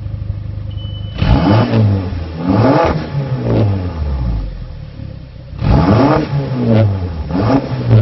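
Engine fires up and revs cleanly through two blips and falls back to a smooth idle, no stumble or miss: running healthy.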